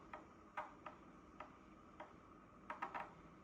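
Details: Dyson PH04 purifier humidify+cool formaldehyde, replacement unit about a year and a half old: irregular sharp ticks, about two to three a second in places, strange clicking noises from the fan unit, sometimes waking owner at night; cause unknown.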